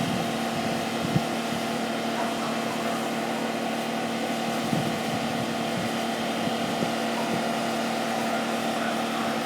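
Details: Mercedes after turbocharger failure repair, running while oil clears from the exhaust and catalytic converters: a steady, even engine hum with no knocks, rattles or whistles; the engine sounds healthy.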